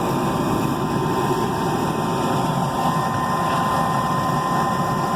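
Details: Rooftop HVAC unit, opened up after a reported noise at startup, restarted: a steady, even whoosh of the inducer and blower with a faint constant tone and no rattles or bangs. It starts clean.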